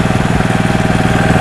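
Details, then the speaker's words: New Loncin LC192F single-cylinder petrol engine (claimed 20 hp, about 4100 rpm, 95 gasoline) after start with the choke then opened: fast, even thumping at steady speed with no misses, knocks or vibration; runs smoothly. "після цього заслонку ховається двигун працює рівно"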